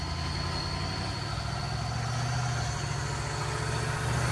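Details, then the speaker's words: Land Rover ute with a twin-turbo V8, on its first road test and fuel-map tuning, has a steady high squeal over the low idle rumble from a failing water pump. "by the way this squeal in the background is that shut water pump"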